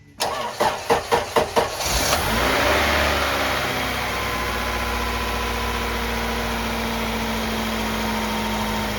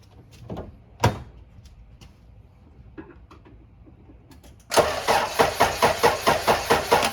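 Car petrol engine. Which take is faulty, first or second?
second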